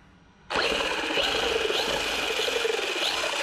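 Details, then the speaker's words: RC electric motor after fixing ESC red-light blinking and no throttle by reseating a loose connector: spins up abruptly into steady high whir without cutting out; running normally. "there you go so the blinking stop so it probably was a loose connection here"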